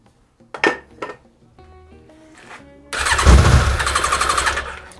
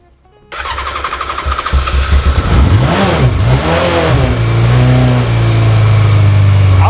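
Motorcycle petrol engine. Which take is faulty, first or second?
first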